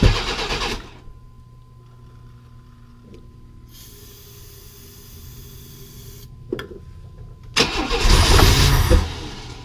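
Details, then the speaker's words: 1995 Chevy S10 Blazer, 4.3L Vortec V6: a short roar, a pause, then another loud, brief burst on starting fluid. It now fires because the timing, previously 180° out, has been corrected. "at least now we know it's going to bust off which proves our theory of it was 180° out"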